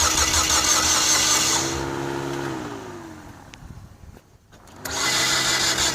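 Starter spins the engine with an even chug, about three per second, but it never catches and winds down; timing is out.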